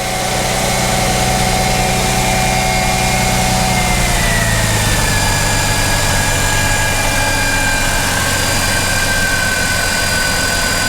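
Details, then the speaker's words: 2005 Mercedes CLK320 (M112 V6) starting after a no-crank starter problem. Over a smooth cold idle, a steady high whine steps up in pitch after a few seconds as the secondary air pump runs normally; there is also a slight idler pulley or tensioner noise. "let's crank it up if it's going to crank I hear the noises there you go the secondary pump is"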